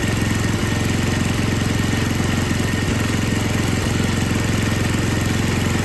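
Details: Older MTD Yard Machines snow blower with Tecumseh 5 hp engine that would not start, after carburetor was rebuilt and gasket found falling apart; steady even putter, no hunting or surging, normal running.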